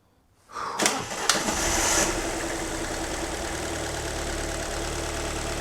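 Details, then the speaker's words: Alfa MiTo Cloverleaf after repair, cold day, first start: short crank then catches at once; usually takes three or four turns; slight initial misfire mentioned; settles smooth; normal cold start. "start up straight away how did that start up straight away no one no one's ever done that they take three or four turns"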